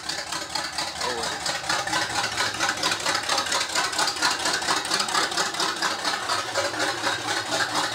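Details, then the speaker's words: G-body (Hell Camino) V8 after carb conversion from computer-controlled setup, first start with open headers and no exhaust at all: harsh, crackling idle with rapid loud unmuffled exhaust pulses. "pinheaded nothing else this open headed no exhaust at all"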